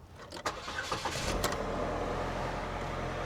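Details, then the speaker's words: Lexus LS430, 120,000 miles: a few cranking bursts, then the engine catches and settles to a steady, even idle around 1,000 rpm with a soft low rumble; healthy engine start. "Way to go, GM. Look at that. Engine sounds good."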